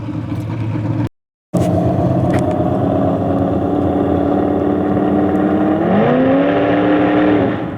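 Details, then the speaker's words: Chevrolet S10 V8 truck on 114 fuel, revving: the note rises, then crackles and breaks up at higher rpm. Three carburetors, plug wires and plugs were already changed, and fuel runs direct at about 7.5–8 psi. The owner rules out carburetor and fuel system; cause unknown. "Hear it crackling? Okay, it's not a carburetor."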